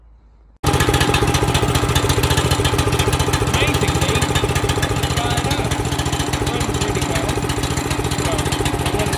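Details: Bedford(?) 500 mm(?) wacker plate compactor, small engine, after repair (new switch, oil topped up, spark restored) that previously wouldn't start or turn over; fires instantly and runs with a steady, even pulsing beat, no misses; running healthy.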